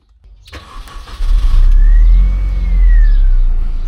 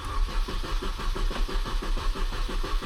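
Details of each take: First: Mini Cooper S R53 started after new fuel filter fitted during major maintenance: catches promptly after a short crank, smooth steady idle without stumble; normal start. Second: Mini Cooper S R53 with fuel pump fuse removed before fuel filter replacement, sat overnight: steady starter cranking with no catch or firing; cranks but won't start, no fuel pressure.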